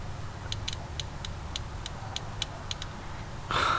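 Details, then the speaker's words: Third-gen car sitting two years with fuel issues: previously dead injector, cleaned and soaked in transmission fluid, now gives crisp evenly spaced ticks about four a second; injector solenoid clicking properly again. "so hopefully you can hear this if you can hear that that is the solenoid clicking now"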